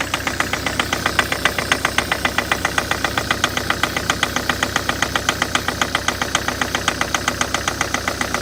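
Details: Diesel engine at idle: a sharp, steady, metallic knock at a fast, even beat, standing clearly above the engine noise. Engine knock, cause unknown.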